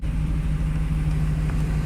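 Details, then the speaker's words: Chevrolet K1500 pickup that banged through first-second and second-third shifts after hauling about 5000 lb, then lost reverse with a bang: steady faint whine over engine drone while running; owner suspects something broke in the transmission. "yeah hopefully you can hear that but you can hear that like whining noise so basically whenever the the trucks running you here because of whatever's broke off I guess"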